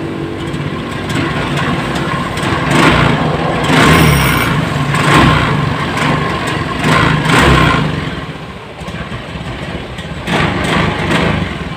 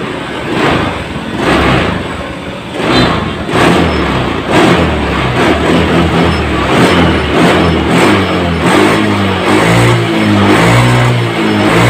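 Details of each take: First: Honda Scoopy FI scooter with no MIL blinking, bogging and lacking power on throttle; each rev swells briefly then falls flat instead of pulling cleanly; fuel pump pressure normal, injector, spark plug and plug cable still to be checked. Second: Honda Scoopy FI scooter after fixing a severe stutter and power loss linked to fuel pressure: engine blipped repeatedly, each rev rising cleanly and promptly with no hesitation, throttle response back to normal.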